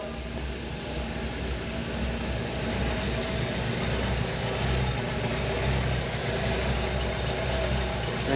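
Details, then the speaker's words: 1964 Chevrolet Impala SS 409 V8 just fired right up: steady, even, quiet low rumble at idle with no lifter noise or tapping; sounds good, normal idle. "she's quiet. No lifter noise, no tapping. Sounds good."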